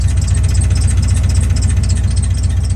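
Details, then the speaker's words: Chevy truck idling with a steady, deep knock that sounded like rod knock but came from a cracked flex plate, found after teardown; the fix requires removing the transmission. "so after tearing everything apart Ethan actually found that the flex plate was cracked so this thing does not have a rod knock I know it sounded like a rod knock but it's not"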